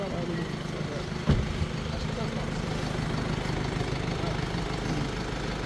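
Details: Mercedes-Benz GLE350de hybrid (W167 coupe), low mileage, steady low rough grinding growl from underneath while driving; transfer case failing. Removing the transfer case electric motor stops the grinding temporarily until the transfer case is serviced.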